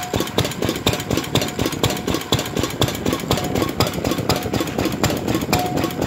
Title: 4 hp R.A Lister Jr type "B" first run after rebuild (2018)